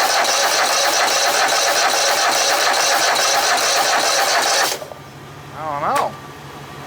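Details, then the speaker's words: Poulan Pro small engine, gas dribbled in: steady cranking about 2.5 beats a second for nearly five seconds, never fires; spark present, fuel reaching carb, so fault is carb. "two we're getting gas up to here so it's not a problem with the fuel pump it's with the carburetor so we'll have to tear back into this"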